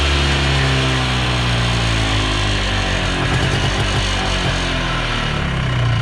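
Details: 1980s Polaris 250cc two-stroke ATV revived after sitting for years, fresh premix fuel, airbox off: crisp buzz holding steady and picking up cleanly with throttle, no bogging; runs good, maybe slight carb tweak later.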